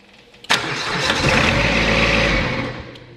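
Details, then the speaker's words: Exmark XS diesel zero-turn mower with 60-inch deck, throttle about a quarter, glow plugs pre-heated: fires sharply, runs evenly about two seconds, then winds down and stops as the faulty fuel shutoff solenoid retracts and cuts fuel. "so what's happening here is for some reason this unit allows temporarily the engine to start by extending the shaft out thus letting the fuel the fuel to circulate but after the engine starts up it's closing okay"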